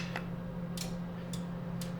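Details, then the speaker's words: Crisp relay clicks about twice a second over a steady low hum in a MASSO CNC control cabinet as the e-stop flashes the tower light red and yellow; the relays are switching normally. "And I can hear the relays clicking. So I know we're good there."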